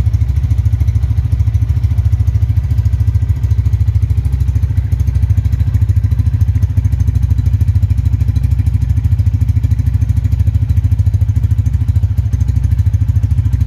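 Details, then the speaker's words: Honda Tiger Revolution 2011 limited edition single-cylinder motorcycle, about 10,000 km: steady low even thumping idle, around three beats a second, no ticking or rattles, heard from a distance; healthy engine. "di mesin yang gak ada suaranya apapun tuh halus banget kalau yang masih nyes KM rendah seperti baru itu kayak gini teman-teman di mesin gak ada suara apapun super halus banget"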